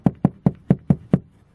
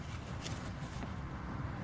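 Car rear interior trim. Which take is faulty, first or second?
first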